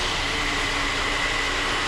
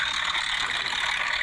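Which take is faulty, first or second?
second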